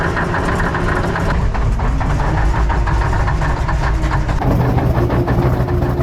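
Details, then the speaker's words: 1980 K Whopper picker truck diesel just fired up with the throttle to the mat, oil pressure showing; loud, lumpy, uneven clatter with a wavering rhythm after long storage; a rough cold idle. "that's right to the mat got oil [Music] pressure she's not a happy dirty old comment to tell you that she is not impressed right [Music] now"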